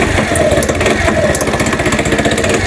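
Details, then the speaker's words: New-body fuel-injected Cappuccino 50 scooter after moving the pickup sensor away from the magneto so it no longer rubs: fast uneven pulsing rattle over ragged idle with irregular knocks, engine smoking; loose flywheel key. "arkadaşlar motorumuzun eee üzerindeki okuyucuyu uzaklaştırdım şu an motorumuza garip garip sesler geliyor"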